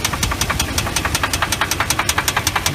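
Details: Jeep Grand Cherokee V8 at idle: a sharp metallic knock about eight or nine a second, a rod knock. The oil pan came off and the rod bearings were found broken, with new bearings to go in.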